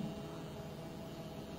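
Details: Homemade 12 V DC to 220 V AC inverter built without an IC, running an induction-motor fan: a steady low electrical hum with a faint buzz, the transformer humming under load.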